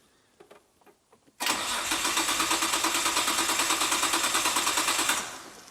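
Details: Imported Nissan GT-R project, first start attempt: steady starter churn, even compression pulses about three per second for four seconds, never fires; cranks no start, compression, spark and fuel untested.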